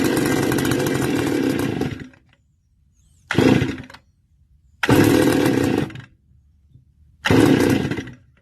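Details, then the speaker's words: Stihl FS280 brush cutter two-stroke, hot after running: repeated short pull-start bursts each dying within a second; engine won't keep running and gets worse as it heats up, hot engine fails to start. "so there you go you see the problem gets worse as the engine gets hot now it will not start at all"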